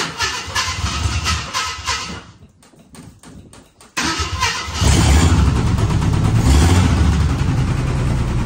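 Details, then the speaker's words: 1978 AMC Hornet at idle with the number five plug wire pulled: it stumbles, nearly dies, then settles into a lumpy, uneven shake that shakes the whole dash. Rough idle from a dead cylinder. "sure sound like a rod knocking to me surely the guy wouldn't have lied to me but yeah maybe all right that number five there was hidden when I pulled the spark plug off seen it die"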